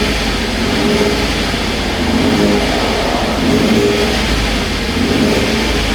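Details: 2016 Ford F-150 3.5 V6 first runs after the correct starter was fitted to a dead engine; burning fluid out of the intake and exhaust. Revs swell and settle smoothly with no knocks or misses. Normal revving.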